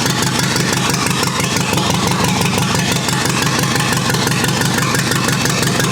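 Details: Rebuilt U23 engine, first start after 25 years, idle mixture screw about two turns out: loud, uneven idle on a lumpy beat near three a second, stumbling; carburetor not supplying enough fuel at idle.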